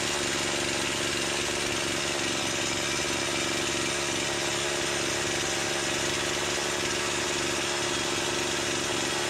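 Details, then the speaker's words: Stihl MS170 with Amazon replacement motor, after swapping the Holzfforma carb for a brand-new stock OEM Stihl carburetor, started on half choke: bright steady high-rev buzz, no surging or bogging, less smoke; owner says it woke it up; normal running. "it sounds like it woke it up more though to be honest just putting that steel carburetor on that that stock OEM brand new steel carburetor on compared to the Hall's fora"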